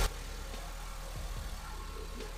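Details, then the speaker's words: 2010 Honda Civic 8th gen 1.8L at idle after replacing the squealing belt tensioner bearing: steady even idle with low drone, no squeal or chirp from accessory drive; noise fixed. "this a lot better quieter yeah okay I think our job is done"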